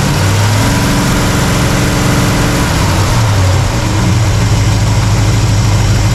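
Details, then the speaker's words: Warm carbureted V8 (1968 Pontiac LeMans or Chevy C10) during final idle mixture trim: deep, steady idle whose note shifts a little partway through, then settles and runs evenly. Healthy warm idle; vacuum slightly low but in the green. "I think that's about as good as I'm going to do."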